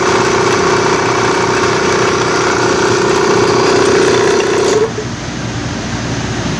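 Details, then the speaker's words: Air compressor on first start: loud chugging with a steady high squeal over it that cuts out after a few seconds, noisy at start then quiet; slipping compressor drive belt. "Ayan guys ito yung problema niya e pag unang start niya ganyan maingay siya tapos maya-maya mawawala siya yan ang naging problema nito"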